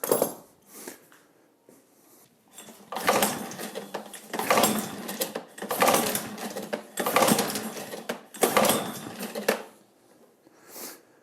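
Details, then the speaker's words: John Deere 14SE mower with Kawasaki FC150V engine, choke adjusted to close fully: repeated pull-cord cranks with short whirring, no firing; spark, compression and float seem fine, pointing to a blocked main jet. "Okay, so it's getting spark, it has compression obviously, it wants to run."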